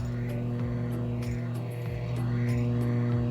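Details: DOD FX7 guitar effects pedal on a replacement unregulated power adapter: loud steady low mains hum, fixed by changing the adapter.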